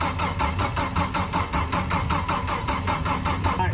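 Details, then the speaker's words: Jeep with rebuilt engine (new bearings, repaired crankshaft gouge) on first start attempt with a little throttle: steady cranking near three compression pulses a second but never fires; suspected no spark, not confirmed. "sounds like everything's normal it just doesn't sound like it's getting any spark"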